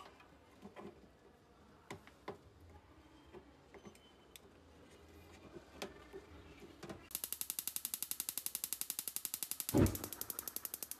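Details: Shuaikang gas stove that would not spark despite new batteries, after cleaning and soldering a new plate onto the broken, rusted battery-box contact: a few faint taps, then crisp even clicks about five a second; igniter sparks normally.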